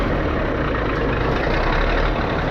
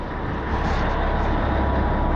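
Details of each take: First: 637 scraper, long-sitting machine, after repaired switch reinstalled: heavy steady diesel rumble at idle, even firing with no knocks or rattles while tractor builds air pressure; engine sounds healthy. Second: 637 machine, long unused, rear diesel engine: heavy drone builds steadily with no throttle input as air pressure builds; rear engine revving up uncontrolled, with throttle valve (Bendix) work underway.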